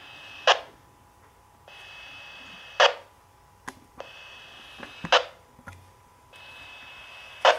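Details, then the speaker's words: Dragonlink Micro receiver failsafe beacon on 425 MHz after transmitter powered off and timer ran out: steady high beep repeating about every 2.5 seconds between static clicks; stops when transmitter returns. "Alright, and now you can hear that beacon, which is on, like I said, 425 megahertz."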